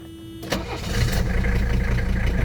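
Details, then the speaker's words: Original 18,000-mile 1985 Mercedes 300D (W123) diesel, cold engine in warm weather, glow plugs lit only a second: brief cranking catches cleanly into steady, even diesel clatter that settles right away; normal cold start. "You see we have a cold engine."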